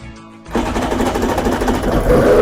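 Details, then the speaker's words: 2003 Polaris MSX 140 WaveRunner after melted injector wires that were grounding on the cylinder head were lifted clear, restoring fuel pressure and spark: engine catches and settles into a rapid, even buzzing run without sputter. Normal start and run. "what did you know it both our fuel pressure and Spark had returned so let's start it up and see if she"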